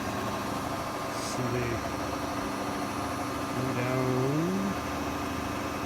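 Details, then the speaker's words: Nissan Leaf electric motor converted Oliver tractor, coupled to original two-speed transmission, running at about 800 rpm idle-like speed out of gear; low steady electric hum with soft pump whine rising as hydraulic lift moves, slow only because of low motor speed; normal. "slow because of the slow speed that I have it running at right now"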